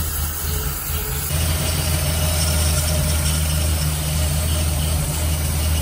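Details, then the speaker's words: 1946 Dodge pickup barn find, second start try after points regapped and condenser fitted, following fuel drain, filters, plugs, wires and carburetor cleaning; running on choke at fast idle with no coolant, steady even rumble, no misses or knocks; runs clean and sound. "I couldn't be happier it seems to run clean and seems to run pretty soundly it's chokes right now so fellas okay"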